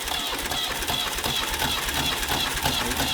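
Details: Ford 555 backhoe diesel unused several years, bad rings suspected with heavy crankcase blow-by; cranking with fuel on, ragged weak firing about three a second lightens starter load but won't run; at least one injector firing.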